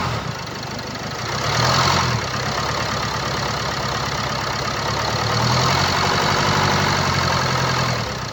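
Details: 2017 Land Rover Discovery V TD4, 2.0 diesel (1999 cc, 132 kW/179 PS, engine R4/2.0TD4), 109,695 km: diesel idle with a light, fairly regular rattle about four times a second over the clatter, from a stretched timing chain.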